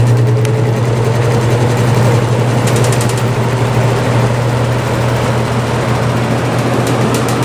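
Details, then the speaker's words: Vintage GE F11W16 box fan on high speed, motor runs hot (about 160°F), blades off-balance, rotor not perfectly round, needs oiling: steady low motor hum with a faint irregular scrape, a worn motor washer rubbing. "there's that scraping sound that I told you about yeah it needs some work really"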